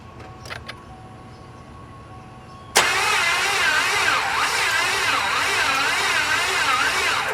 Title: Slow Crank No Start